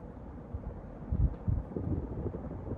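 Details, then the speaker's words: 1998 52-inch Hunter Sea Air ceiling fan running at high speed, recorded close up: only a soft steady low rush of air with no bearing hiss, ticking or wobble; normal quiet running. "honestly it actually runs pretty quiet I don't even hear the bearings hissing"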